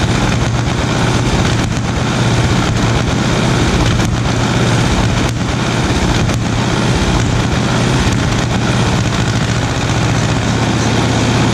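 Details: 1936 Caterpillar RD7 crawler, first start since its seized, water-contaminated starting engine was rebuilt from parts units: big diesel settles into a steady, loud, even beat with no knocks or misses, running cleanly; normal running.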